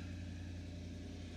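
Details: Chevy with P0171/P0174 lean codes from unmetered air at a leaking air box, just started and going into closed loop: low even hum, constant pitch, no surging or hissing, normal idle while short-term fuel trims go negative.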